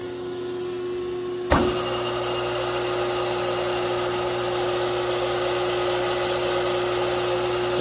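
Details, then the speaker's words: 5 hp three-phase motor, frame 573, after rebuild with new bearings (88507 blade end, 88504 fan end), fed by a 20 hp rotary phase converter droning behind: steady quiet hum, no grinding; normal running, slight fan vibration noise. "well stuff's a lot faster than it did sounds a hundred percent better than what it did amazing with a little cleanup and new bearings will do"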